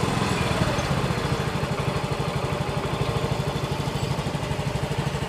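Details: Yamaha X-Ride 125 single-cylinder idling after repair for a noisy-engine complaint, still in break-in: steady, even putter about three beats a second with no knock or rattle; engine now runs healthy, normal idle.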